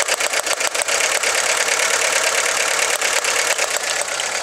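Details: VW Lupo 1.4 16V running badly with the engine rocking and the check engine light flashing; uneven stumbling run with irregular pops. One cylinder is misfiring with no spark on that lead, so the coil pack or its wiring is suspected.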